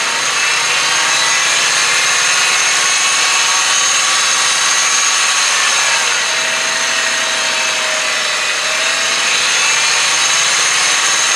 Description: The engine sound of a 2001 Honda Insight. I think the high pitch noise is from a bad idler pulley.